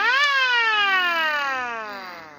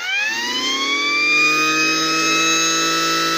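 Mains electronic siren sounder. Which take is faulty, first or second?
second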